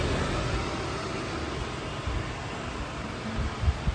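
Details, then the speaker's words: Quadrafire fan on a Quadrafire Discovery 1 EPA wood stove, first firing, on high: loud steady rush of air with low hum, no rattles or scraping, clearly blowing heat out; blower working normally. "Oh, it's definitely blowing the heat out. I can really feel it. Oh yeah. Well, it works well."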